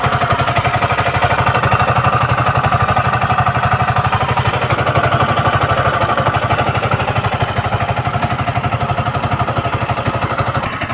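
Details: Yamaha MT-15 (VVA) idling: a sharp, even clatter of about four per second rides over the single-cylinder exhaust beat; abnormal engine noise, cause unclear.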